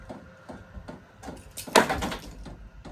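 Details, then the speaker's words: VEVOR Bluetooth diesel heater at first startup, being installed to warm a mobile shop, no muffler fitted: light evenly spaced fuel pump clicks about two to three a second with one loud knock between, normal fuel pump ticking. "I'm making a little noise now. Sounds like the fuel pump's going."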